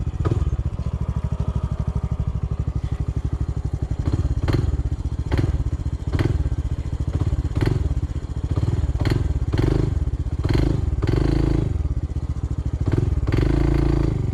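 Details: Honda CT125 single-cylinder climbing a steep uphill trail under power: sharp metallic knocks about once a second over the thump, heard near the engine; no power to climb, and a failing lower-end rod bearing is suspected (unconfirmed).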